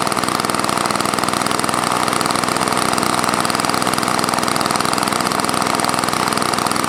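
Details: Old Toro snowblower with engine swapped in from another unit, primer function uncertain: small engine buzzing fast with slightly uneven hunting beat, keeps running but unsettled; started and stopped, still finicky; rough running.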